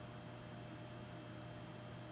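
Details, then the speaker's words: Dumont RA-109 tube television, first power-on after long storage, applied straight AC without soft start: steady low transformer hum with a faint thin high whine as an oscillator tries to start; cause not confirmed. "I don't know if that noise is coming through but there's definitely some Transformer hum"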